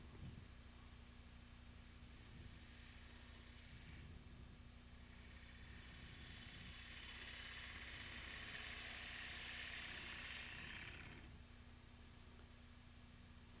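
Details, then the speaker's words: Wood lathe turning a platter, smoothing the foot tenon with the tool: steady low hum with an even cutting hiss that swells and fades and no tapping. Clean cut without chatter. "you can see you can hear there's no tap tap tap with that"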